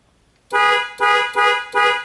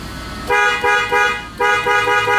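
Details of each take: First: 2001 Toyota Tundra whose horn, cruise control and airbag light all failed together: four short, strong horn blasts on a clean tone with the horn wired direct, proving the horn works and the clock spring is defective and needs replacing. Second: 2001 Toyota Tundra after a new clock spring was fitted: loud, clear horn blasts in two quick groups, each tone firm and steady; the horn works normally again and the airbag light is off.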